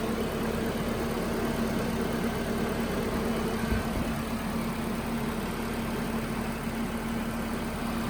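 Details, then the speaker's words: 1992 Nissan 240SX S13 fastback, after fixes for electrical problems, blown plugs and popped hoses: fires right up into a steady, even idle with a smooth low hum, no knocks or misses. Normal idle. "Okay. Fire right up. So far so good."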